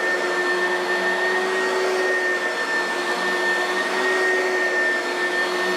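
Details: Oreck vacuum after overhaul with new used brushes still seating: steady airy roar with a constant thin whine on top, no grinding or surging; normal running.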